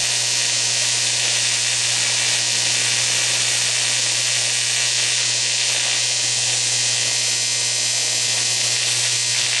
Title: How to TIG Weld Aluminum - Kevin Caron